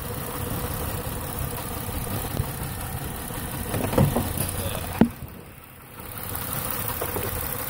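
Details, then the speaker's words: 2008 Ford Taurus X idling with codes for no injector pulse on cylinder 1: uneven, lumpy idle with a stumble; a noid-light bypass showed the computer sends the signal, so a break in the injector wire is confirmed. "as you can see that the computer is sending the signal because the wire is not carrying the signal so we have a break in the wire"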